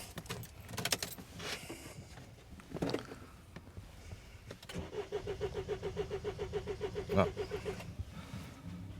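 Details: 2007 Mini Cooper D (R56) diesel, fault code 4A63 EWS tampering, after an attempted resynchronization on a jump pack: starter cranks evenly about five beats a second for three seconds and never catches; immobilizer blocking fuel.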